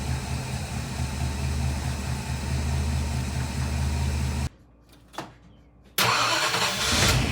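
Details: Ford 292 Y-block V8 with Vintage Air bracket and 100-amp 10SI alternator, first start after adding spacers to align the alternator with the water pump pulley; steady, even run with no belt squeal over background music, healthy normal running.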